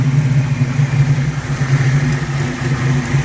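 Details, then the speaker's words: 1982 Mustang GT with a newly swapped brand-new rebuilt V8 with heads and cam, painted headers smoking, oil pressure gauge reading high. Steady low rumble with a smooth lope and no knocks or ticks. Normal idle. "But it's running. My God, it's running."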